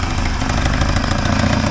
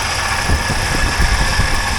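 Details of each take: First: 1980 Triumph TR7 idling after earlier exhaust leak repairs: a rapid puffing tick over its low rumble comes from one remaining exhaust leak, to be fixed later. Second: 1980 Triumph TR7, after the exhaust leaks were fixed, heard through a stethoscope at the valve area at idle: soft, even thump with no sharp valve ticking; top end healthy, and the only noisy part is the alternator.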